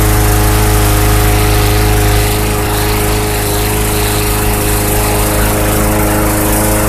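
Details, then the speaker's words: 2014 Bolens/MTD 11A-B0BL765 21-inch push mower, Briggs & Stratton 500 Series 140cc engine, after fuel tank clean-out for old fuel no-start: steady, even beat about four pulses a second, no stumbling; normal running after repair. "there you go running great seems to be running fairly well with that tank clean out"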